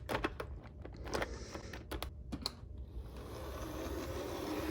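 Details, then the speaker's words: Old Bachmann model locomotive with a can motor: a few light clicks, then a soft, even motor whirr building smoothly with no grinding or rattle. Normal, quiet running. "that one actually runs really well wow it's amazing how much quieter uh this style of locomotive runs with a can motor"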